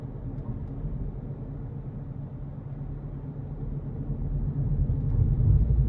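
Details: Car driving: low, droning hum under road rumble, louder with speed, appeared right after roll bar bush replacement; owner unsure, doubts wheel bearings.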